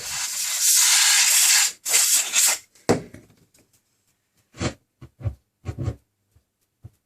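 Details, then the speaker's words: Sony ST-2950F stereo tuner, probably late 1970s: steady hiss from air duster blown over the tuning capacitor, then irregular crackling bursts and dropouts; tuning gang sensitive to disturbance, cause unclear, possibly unstable oscillator suspected. "So there's something very strange going on there. I'm not entirely sure what's going on there."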